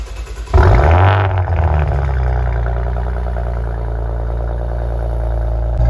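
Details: Maserati Ghibli after exhaust valve clearance rattle fix: engine starts, flares briefly and settles to even idle with no exhaust rattle; normal, healthy exhaust note.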